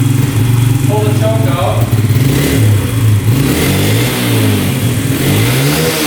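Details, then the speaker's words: 2011 Yamaha Raptor 125 quad: it runs better with the choke on, but the engine note hunts, surging and sagging, never settling at idle. It runs rough and will not idle; cause suspected but unconfirmed. "Seems like with the choke on, it's running a lot better. It's a lot better with the choke on, but it's not idling."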